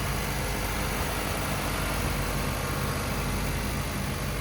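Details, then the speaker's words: Auction car, either a Honda Civic or a Toyota Camry, found with no oil on the dipstick and topped up before starting: steady, even, smooth idle with no knocks, misses or squeals. It sounds healthier than the other. "This one sounds healthier. We'll see, I guess."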